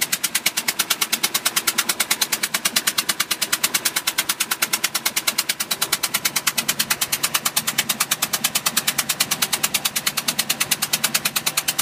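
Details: 2005 Bayliner 175 petrol boat engine idling with a sharp, steady knock about three per second; cause unknown.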